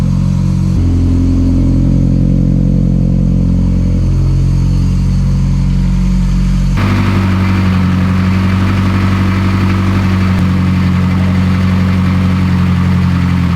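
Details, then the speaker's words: Mitsubishi Evo X rebuilt to about 800 whp, on its first start with oil pressure around 21 psi and not yet at operating temperature: a smooth, even, very quiet low idle with a steady exhaust note and no knocks or ticks. "This car is very, very quiet. This thing is so quiet."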